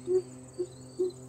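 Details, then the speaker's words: 1958 Willys Jeep new mechanical fuel pump, lever worked by hand; four short, sharp squeaky puffs about every 0.4 seconds, unlike the old pump's silent, loose lever with a diaphragm most likely dried and cracked. Normal diaphragm stroke. "means the diaphragm inside is actually doing what it's supposed to."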